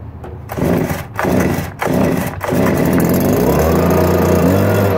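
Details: Backup 2018 Stihl BG56C leaf blower, started on choke: four quick starter pulls, then it catches and settles into a steady, even drone; starts easily and runs smoothly.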